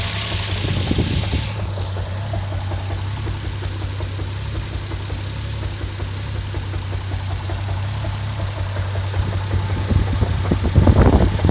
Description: Idling and can still hear the knocking noise.